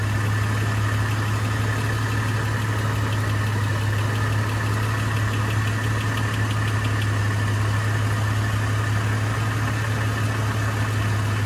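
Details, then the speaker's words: 2004 Chevrolet Trailblazer LS with light ticking that appears over a steady idle, then fades: intermittent. Owner suspects a cracked flex plate, a loose bolt or a valvetrain problem. "starting to make kind of a ticking noise when it's running and it's intermittent it's not always there sometimes it runs and sounds just fine and other times it really has a kind of a pretty significant ticking"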